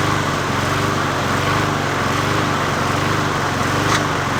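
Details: 20" Murray push mower #20201D after straightening a wobbling crankshaft and cleaning: small engine holds a steady, even drone with no knocking, surging or wobble noise; runs smoothly.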